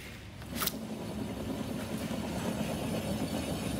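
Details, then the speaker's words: Ford Falcon running factory LPG, rolling along: a low, rhythmic rumbling "helicopter" beat under road noise from a bad wheel bearing, judged not worrying at 60 km/h on short trips but risky at 110 km/h for long runs. "Did you hear the helicopter? Yeah, mate, that's a bad wheel bearing, that beat."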